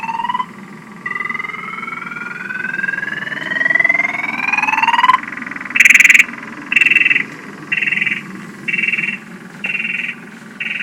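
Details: Truck with battery drained after lights left on all night, before a jump start from an old Jeep: loud high alarm chirps about once a second over a steady hum, alarm repeatedly tripping from the low battery, nothing else working.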